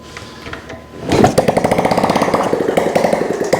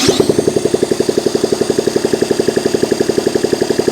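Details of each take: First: Honda ST70 kickstarted after a top-end rebuild, first start in years, with a new carburetor and no exhaust fitted: it catches after a couple of kicks and runs loud with choppy, crackly open-pipe popping at a fast idle; it runs normally. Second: Honda ST70 with rebuilt top end and new carburetor, ignition hot-wired from stator to coil, first start in years on electric starter: even cranking chug, about three strokes a second, never fires; fuel delivery fault.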